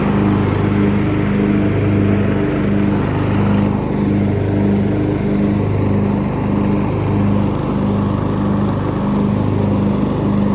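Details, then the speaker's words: Craftsman riding mower 917.273760, 15.5 hp, after valve adjustment, cutting grass in low speed: steady even drone under cutting load without bogging or surging; running strong and healthy. "yeah no problem that's cutting good [Music] oh forgot to set the break [Music] actually cuts pretty nice"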